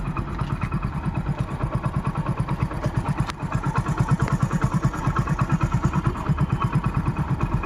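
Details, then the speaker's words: Passion Pro motorcycle, single cylinder, oil recently changed: even steady idle thump about three beats a second, no knocks or rattles, very smooth. Normal idle. "Okay విన్నారు కదా engine అయితే చానా అంటే చాలా smooth గా ఉందండి."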